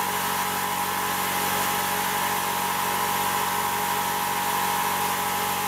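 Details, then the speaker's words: New replacement air compressor on its first unloaded break-in run without building pressure, not bolted down: even, steady mechanical whirr with a constant high tone and no knocks, rattles or surging. It is fairly quiet with virtually no vibration. "I hope you can hear me over there compressor it's not really that loud not got it bolted down and has no vibration at all I mean virtually none"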